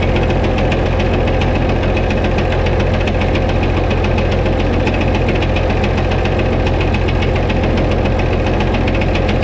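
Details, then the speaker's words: White 2-155 tractor engine, still hammering after shut-off and restart, steady heavy knock about three beats a second with slight miss; blow-by, exhaust and oil pressure normal, internal knock cause unknown, engine work planned. "when I parked it here I shut it off and then started it back up and that ran still hammered"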